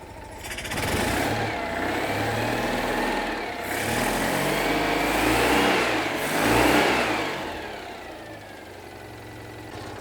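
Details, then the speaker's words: Citroën 2CV after replacing manifold, broken exhaust pipe bodged with aluminium tape and hose clamp: small twin idles then revs twice, clean exhaust note, no ticking or chuffing. Repair appears to work, no leak. "i've wrapped the pipe in aluminium tape and then reinforced it with a hose clamp and see if that's done anything for me at all yeah i don't know how long it's going to last but that does appear to be working"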